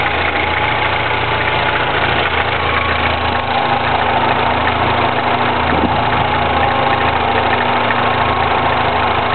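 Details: 2009 Mini Cooper S cold start: busy metallic rattle over a steady cold idle that doesn't ease off; timing chain rattle suspected, not confirmed.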